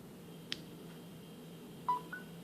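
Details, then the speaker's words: Samsung Galaxy S4 (T-Mobile) after water damage repair, 45% battery: a short two-note chirp in a quiet room as the charger is plugged in; phone accepting power and charging normally. "it's definitely charging so it's accepting the charge and everything connected to Wi-Fi fully working"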